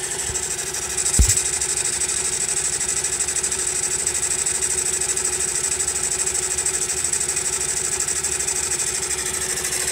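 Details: Honda Monkey small single-cylinder engine at idle: even running with a thin, high whine on top. The abnormal noise persists after tappet adjustment, and its cause is still unknown.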